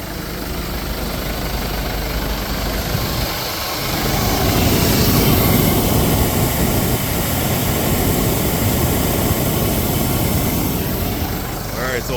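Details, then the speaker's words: 2014 Mercedes GLK 250 blower motor, the old unit refitted after likely mispositioning or lodged debris: a steady, even airy whoosh from the dash fan with no rattles or rubbing; normal blower operation. "working now put the old one back in I think it was just positioning or something had been lodged up into it but now it seems to be working"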